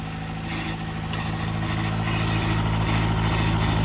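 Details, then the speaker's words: Freshly built Davies 1040 dry-liner engine (74mm bore, mild R17 cam, road-intended) on the dyno: steady even idle just under 1,000 rpm, firm regular beat with no misses or knocks; healthy. "So we'll fire it up. Good idle."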